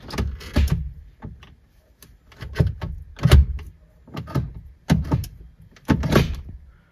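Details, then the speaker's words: Citroen C-Zero, running after being fixed because the car could not tell which gear it was in (dirt and dust mentioned): selector moved through reverse, neutral, drive and back with distinct, easy clunks; normal shifting. "Все, автомобіль запустився і показую, як тепер легенько перемикаються передачі. Задня нейтраль, драйв і назад. Тепер навіть на вулиці дуже гучно чується, як перемикаються передачі."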